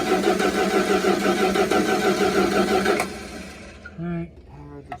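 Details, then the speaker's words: Plymouth Fury III (318) sitting 25 years, cranking after power restored to the coil: starter turns the engine at an even three turns a second and it never fires; the ignition points contact is worn away and due for replacement. "those are supposed to be a contact on here and it looks like it's pretty much gone it's about to get a new one"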